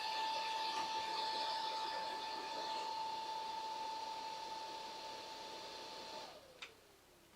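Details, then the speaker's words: Untested salvaged PC with a GeForce Quadro FX: powers straight on with fans at full speed, steady high whine holding flat then winding down at switch-off; doesn't boot, needs work. "Well, it powered straight on. We're getting full fan. That sounds like a no."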